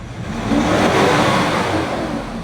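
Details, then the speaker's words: 2019 Nissan Terra automatic diesel after the injector problem was fixed: one smooth, even rev that climbs and eases back with no shake, stumble or misfire. Door and steering-wheel vibration are gone and the engine runs clean and stable. "Ayan mga sir Wala ng alog anan walang kalog yung makina stable"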